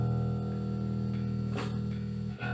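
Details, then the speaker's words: Gallien-Krueger RB400 bass amp head: held bass note broken by scratchy crackles and brief dropout as the volume/master knob turns, from dirty, scratchy potentiometers. "so uh let me first demonstrate what's going on with this gallium kruger rb400 [Music] a little staticy sounds a little staticky"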